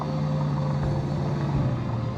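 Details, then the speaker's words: Mansory Bugatti bought as broken, heard in older footage; deep steady engine note with even low rumble, no tapping or knocking; normal running. "Listen to that. It's not knocking."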